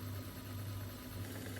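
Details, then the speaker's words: Mastertronic analyzer reference test: the empty motor runs on air only because no fluid was poured this cycle, giving an even low hum at a steady tone with no knocks; normal. "The empty motor starts. It will of course just be air because you didn't pour up anything this time."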